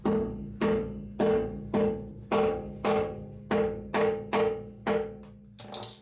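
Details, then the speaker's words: Old 15 PSI boiler before hydro test, a row of wet rusted spots on the shell: even hammer taps about twice a second give a short, dull ring instead of a solid ping. Shell plate is thin from corrosion. "Yeah, you can hear the difference."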